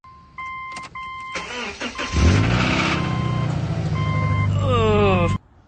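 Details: 2007 Subaru Legacy with 2.5-litre EJ25 engine, before teardown: a warning chime, then it cranks and catches into a rough idle with a light regular knock underneath; rod knock, with the engine to be pulled to find why.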